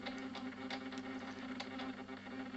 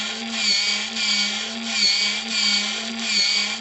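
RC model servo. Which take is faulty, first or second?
first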